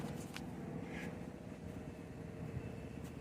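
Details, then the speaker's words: Small two-stroke generator fitted with experimental thermal-mass exhaust heat extractor/silencer, heard outdoors with door closed, load removed, idling; steady low drone with uneven lumpy beat, running rough, not smooth. "kind of hear it because it's idling it's rough not running smooth like that"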